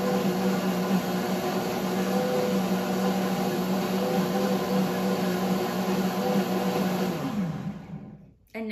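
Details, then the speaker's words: WantJoin commercial blender in smoothie mode with ice and the sound guard down: steady, even motor hum with churning ice, no rattle or labouring, then a smooth wind-down; much quieter than a traditional blender. "as you can hear it's so much quieter than a traditional blender the one that I use is probably two to three times more loud than this is"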